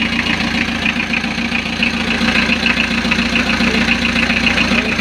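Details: Diesel idling right after oil pump and timing belt replacement, before coolant is added and with the alternator not yet fitted, during a leak check: even clatter at about three and a half beats a second with no miss or knock; running smoothly.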